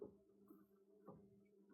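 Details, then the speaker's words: Central heating system after circulating pump replacement, boiler fired: quiet steady low hum with no rattle; new pump running normally and quieter than old rumbling one, some air still to bleed. "there we go that is sounding a lot better lot more quieter there's obviously a bit of air so try and bleed"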